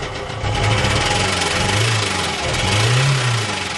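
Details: 2004 Ford Transit TDCi diesel running: repetitive low knock under the usual clatter, rising and falling as revs swell; suspected big end bearing knock, not confirmed.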